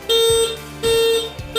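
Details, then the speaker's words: Motorcycle fitted with a WDA touch-sensor alarm, starter pressed without touching the secret point: loud steady horn blasts about half a second each with short gaps, repeating, turn signals flashing, engine stays immobilised; alarm triggered. "Apa yang akan terjadi? Klakson akan nyala. Itu akan menyala secara terus menerus dan motor tidak bakal bisa hidup. Sen nyala, klakson juga bunyi kencang."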